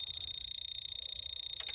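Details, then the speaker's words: 1998 Bobcat 763 F series hour meter, tester applying ground where the ground should be with key on: steady fine ticking under faint high whine, one sharper click; meter works, but it isn't getting correct power in the machine. "see click so the hour meter is working it is working it's just not getting correct it's not getting the correct power to it"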